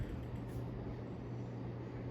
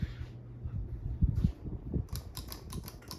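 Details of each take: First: 1980 Sears (Emerson) Turn Of The Century ceiling fan, a K63 motor in a housing, with a replaced capacitor, running with a steady low hum plus a dull buzz from the canopy vibrating against the top of the motor housing; canopy rattle. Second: 1980 Sears (Emerson) Turn of the Century ceiling fan, K63 motor, replaced capacitor and pull chain, non-original blades: pull-chain clicks then low, even hum building and holding steady on high, airflow noise; healthy high-speed startup.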